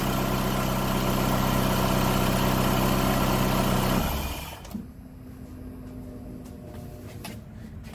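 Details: PT Cruiser towed in with a crank-no-start condition, after the fuel pump was replaced: smooth, even idle that then shuts off, leaving a steady hum from the loud new fuel pump; the engine runs normally with no fault codes.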